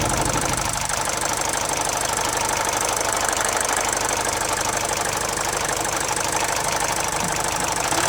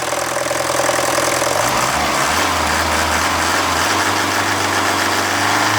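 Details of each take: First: Mercedes OM601 diesel after head gasket replacement restored oil feed to the timing chain tensioner: even idle with usual light diesel clatter, steady speed, no chain rattle; normal idle. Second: Mercedes OM601 diesel, warm idle, oil pressure 0.5 bar: a loose metallic rattle about three a second. A failed head gasket bleeds off oil feed to the timing chain tensioner, so the slack chain rattles into the injection pump. It is absent when cold.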